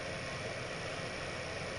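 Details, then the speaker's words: Venmar Constructo 1.5 HRV air exchanger during cleaning and reassembly: after the fan was checked for free movement, it runs with a smooth, steady airy whoosh, no ticking, scraping or wobble; normal fan operation. "okay so now we've got movement and we've got the fan working"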